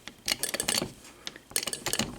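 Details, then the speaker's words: VW distributor ignition on a test bench, fed by a coil with used plugs and wires: sharp, dry snapping bursts as spark arcs inside the distributor cap. A blue performance coil gives a stronger spark than the stock coil. "this is fun i was wanting to do this for a long time you can hear it arcing in the distributor cap"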